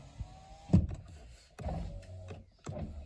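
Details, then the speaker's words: Honda Odyssey, about 21 years old, after repairing the driver-side master window switch PCB (before, only the driver window worked). Driver and passenger windows run with short bursts of low motor hum and clunks at the stops. Normal power window operation. "All right, now for the moment of truth. The driver's side still works as expected. You can hear the passenger."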